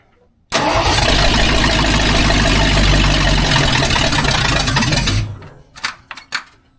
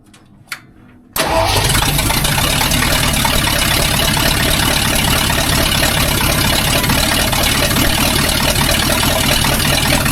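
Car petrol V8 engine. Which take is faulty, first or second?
first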